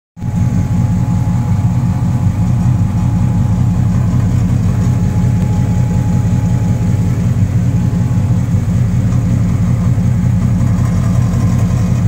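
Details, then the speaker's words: 1997 Dodge Ram idling with heavy, steady low rumble and faint rough pulsing underneath; noise seems to come from the exhaust, source unconfirmed, with oil leaks noted along the block and driveshaft. "sounds like it's coming from the exhaust, actually."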